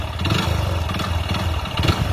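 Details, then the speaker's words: Hero Splendor Plus single-cylinder motorcycle with a failed engine: heavy, regular low knocking under the exhaust note while running, even without smoke; mechanic attributes it to a worn connecting rod, linked to overloading. "ఈ sound ఎందుకు వస్తుంది అని అంటే main connecting lord problem అన్నమాట engine లోపల connecting rod పోతే ఈ రకంగా అయితే సౌండ్ అయితే వస్తుందన్నమాట"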